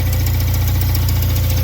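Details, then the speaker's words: Fiat after swapping 1.2 8V for FIRE 1.4 8V engine: steady low idle with a light, rapid scraping swish from between engine and gearbox; rubbing noise at idle, owner wonders if it could be a piece of sheet metal but is unsure. "Ihmeellinen tuo hinkkaustaaani vieläkin jostakin.Se kuuluu niinku toista moottoria vaihteiston välistä."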